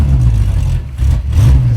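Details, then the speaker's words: Roadkill car running rich the whole time, spark plug fully fouled and no spares: lumpy, uneven low drone that stumbles while driving, sounds like an air-cooled Volkswagen Beetle; misfire from dead cylinder. "so unhappy oh that's horrible oh it sounds like a Volkswagen I was going to say the same thing"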